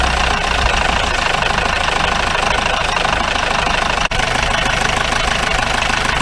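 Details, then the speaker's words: 1953 Mercedes 170D (W136) four-cylinder diesel, once-seized restoration project, at idle from the rear "business end": hard, rough clatter about three knocks a second and smoke; owner suspects worn injector nozzles. "cleared up a little bit i don't know i say new nozzles definitely not sound sweet though"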